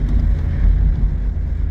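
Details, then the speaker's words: BMW driven 450 km with a knock that is always present off throttle: deep, uneven low thumping under a heavy engine rumble. Timing checked OK; owner suspects the oil pump chain or oil pump, and the engine is being pulled. "Hear that? It's always there when you leave the gas pedal. It's kind of strange."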